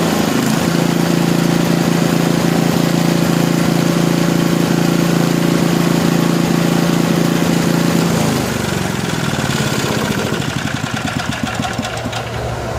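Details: Small lab engine after mechanical governor dynamic adjustment, idle set near 2000 rpm: steady high buzz that eases down and settles evenly; top no-load speed rechecked with vibration tachometer just above 3400 rpm, governor set right.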